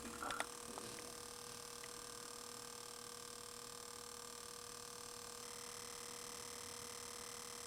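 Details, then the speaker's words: Cinematronics Star Castle vector monitor on test with board, after replacing both DACs stopped third fuse glowing: faint steady hum with thin high whine, deflection working fine. "That's the deflections working. Yeah, so it's working fine."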